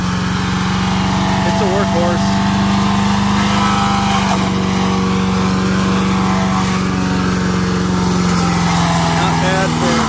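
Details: MTD 5 HP chipper/shredder, probably 1990s, after carburetor kit repair, chipping branches: single-cylinder drone dips slightly and recovers as branches feed in; healthy under chipping load.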